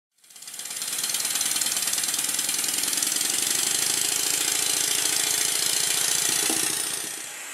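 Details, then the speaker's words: Rebuilt Stuart Score engine run on compressed air, one side only and dragging the dead side, after correcting a reversed slide valve: crisp, even hissing exhaust beats about four per second, steady after a quick run-up; runs properly. "I'll stop talking during this test so you can hear the noise that it makes."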